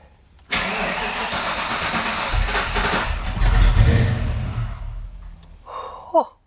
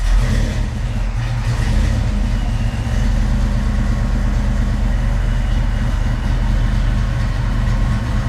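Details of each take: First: 1987–1993 Foxbody Mustang on first start after Holley Terminator X EFI install: about four seconds of rhythmic cranking, roughly three beats a second, no firing; crank, no start. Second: Foxbody Mustang V8 with Holley Terminator X EFI after priming fuel pump: deep steady burble, even idle without stumble or misfire; normal idle, fuel pressure reading 38 with a yellow warning.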